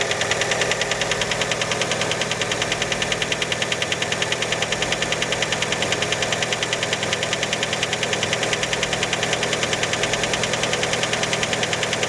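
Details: Fiat Panda engine after a cold start: a sharp, very regular metallic knocking, about three per second, over the cold idle. Many suspect the piston skirt, but the cause is unconfirmed.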